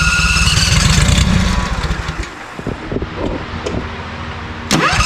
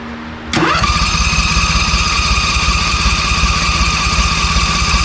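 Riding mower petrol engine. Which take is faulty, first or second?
first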